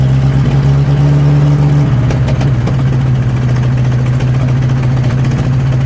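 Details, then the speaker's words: 1963 Nissan Junior ute, unused 15 years; low, uneven idle stumbles and shifts pitch, never steady. Gap between intake manifold and head, gasket not seated, causing a large air leak and poor idle. "There's actually a gap where the manifold is not meeting the head. So I would say the gasket is not on there properly. So it just has a giant air leak."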